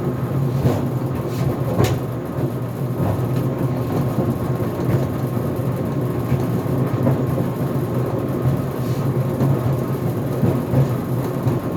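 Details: GE Profile Harmony dryer in its cooldown cycle (dry time set to 11 minutes, no extended tumble): a steady low tumbling rumble broken by irregular hard bangs every few seconds; the door pops open near the final minute.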